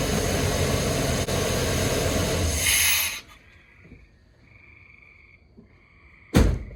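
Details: 1994 Chevy OBS C2500, 104k miles, after a tune-up with a new distributor rotor, firing order checked: steady, even rumble for about three seconds before shutting off, no misfire heard; it runs.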